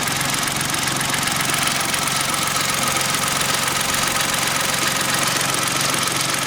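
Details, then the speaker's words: Kia engine at idle after oil change, old oil very black: dull, fairly regular knock about two and a half times a second, seemingly low in the engine; definite knock, cause not determined. "now now we've changed that oil it's there's a definite knocking there now"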